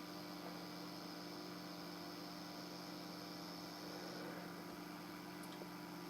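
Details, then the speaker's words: Breadboarded 5W quasi-complementary discrete power amplifier on a single supply with its input disconnected: a steady low hum with a buzzy edge, the noise also seen on the scope. The circuit seems to generate a 1 kHz sine by itself. Amplifier hum with no input. "The input's disconnected. There's that noise that I was seeing on the scope before, too."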